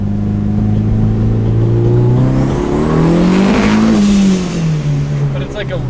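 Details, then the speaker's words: Nissan S15 floored on a straight with boost turned down to wastegate: revs climb then stutter and break up as boost arrives; suspected coil or electrical issue, or one cylinder running very rich, not confirmed. "weird like yeah i swear it sounds electrical you hear it it sounds like it's just like a like a coil issue i don't know how else to explain it yeah either that or like one cylinder is going really rich or something"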